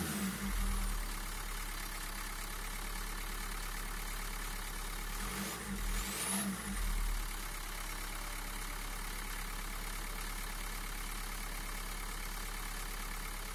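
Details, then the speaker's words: Renault Mégane 3 1.5 dCi 106 hp, cold engine just after start, after replacing a damaged glow plug: even, quiet diesel idle with no misfire stumble, errors no longer appear. Normal cold diesel idle. "Comme vous pouvez le voir et vous pouvez entendre le moteur froid immédiatement après le démarrage, il fonctionne de manière uniforme et silencieuse et les erreurs n'apparaissent plus."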